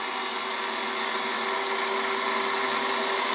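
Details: Chemical-free air-over-media iron and sulphur filter, regen button held five seconds to start regeneration, unit not connected to water: steady, even mid-pitched control valve motor whir with no catching or grinding; normal.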